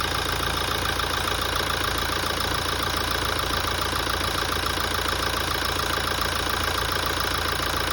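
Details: 2017 Toyota at idle after a major service. A fast, regular light ticking knock at about three or four per second rides on a steady idle: abnormal engine noise, cause suspected but not confirmed.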